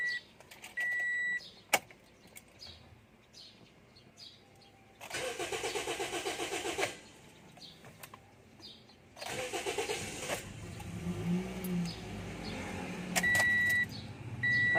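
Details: 2014 Toyota Vios, hard starting on first attempt: two long cranking bursts of steady whirring before the engine finally catches and settles; slow to fire, problem later solved.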